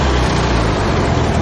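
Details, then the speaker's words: VW Beetle air-cooled flat-four in a motorcycle build with hand throttle: short burst of a steady, even low beat with no knocks or misses; engine running well, though the replaced belt is very sloppy. "anyway it's running good that belt we replaced is really sloppy"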